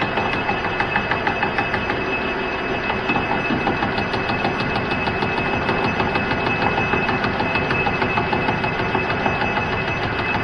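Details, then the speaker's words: Cincinnati mill boring a part for DRO mount: steady rhythmic thump about three per second over the cutting hiss as the boring bar hits the hardened weld each turn, until it cuts through; bar shows spring. "so yeah you can really hear the thumping as that hardened weld comes around okay so that sounds like it's through"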